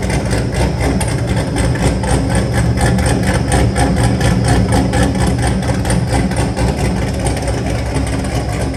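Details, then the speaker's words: Built, cammed WS6 V8 on the dyno after fresh plugs and a revised idle tune: loud, lumpy idle with a steady, choppy beat about four pulses a second, idling cleanly. Normal cammed idle. "that Idol sounds a lot better you can hear the top a lot more now"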